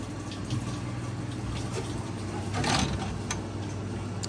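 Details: Maytag washer, likely model MVWB765FW1, won't drain or spin, codes F9E1/F9E2; in diagnostic mode test 8 the drain pump hums steadily with a faint trickle but moves no water, so the pump is bad and gets replaced.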